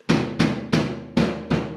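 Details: 1971 Cadillac Coupe Deville 472, removed fuel tank shaken: six heavy hollow clunks about three a second, something loose banging inside; camera showed the baffle where the filler neck passes through; tank interior suspected source of worsening rear rattle at idle; unconfirmed.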